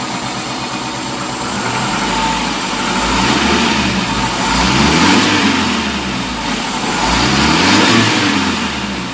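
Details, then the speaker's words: Suzuki APV fuel-injected engine with original, working MAP sensor: smooth, clean rise and fall in pitch over throttle blips with no knocks or misses; normal revving baseline. "Ya normal seperti ini"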